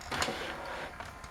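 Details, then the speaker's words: ZX Spectrum +2a cassette deck whirring with clicks and clatter, after a new tape belt and white lithium grease; still sounds worn, though 3 of 4 tapes load; deck may need replacing or refurbishing. "yeah the whole tape deck on this may need coming out and replacing or refurbishing"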